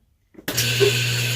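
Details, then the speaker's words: Whirlpool washer not spinning on spin cycle, clothes left wet; the motor and pump hum steadily but the drum stays still with no spin whoosh. "hear that hear that noise and this thing spinning at all"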